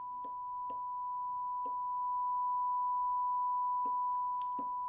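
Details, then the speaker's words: 1962 RCA stereo Sound Cartridge player with a 1 kHz test tone injected at up to 1 V to test the audio transformer and speaker: pure, steady tone with no buzz or crackle, very clean; both working. "now if the audio transformer and speaker are both working we'll hear the one kilohertz tone from the speaker let me turn up the output and see what happens okay great i can hear the tone"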